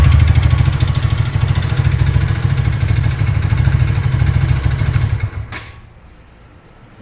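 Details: Haojue DR160 motorcycle at idle, after a scanner found a fault: a low, uneven clattering chug, then the engine dies; owner suspects injection-related, cause unknown.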